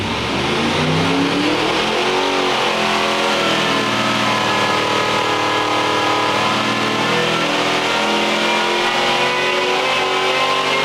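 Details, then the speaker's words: Supercharged (blown) Chevy 400 V8 on the dyno at full throttle, showing 744.8 with a 12.4:1 air-fuel ratio. It climbs quickly and holds a loud, even high-rev scream with no misses or stumbles; a clean, healthy pull, fuel good. "That sounded good out the door. Out the window. Yeah, it's 7:45. Good enough. Fuel's good. Fuel's good. Everything is good."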